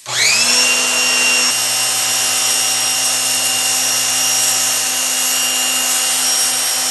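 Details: Pressure washer with a faulty total-stop bypass, running on a direct-wired switch with the water connected: motor whine spins up fast and holds an even pitch with no surging. Runs normally.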